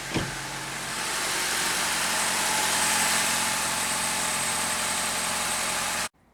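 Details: 2012 Honda Civic GX running on CNG (natural gas), after a head gasket replacement and reconnecting the camshaft position sensor. It gives a steady, even idle with no knocks, misses or hunting for about six seconds, then cuts off cleanly, so the engine sounds healthy.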